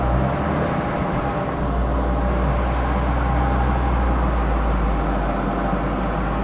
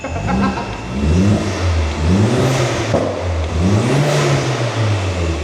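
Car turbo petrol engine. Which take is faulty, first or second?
first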